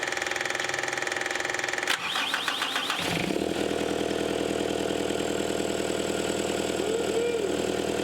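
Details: Caterpillar 259D skid steer with newly installed engine, started after fixing a wiring plug communication issue: brief crank, catches within a second, then a steady, even diesel idle with no knocks or misses.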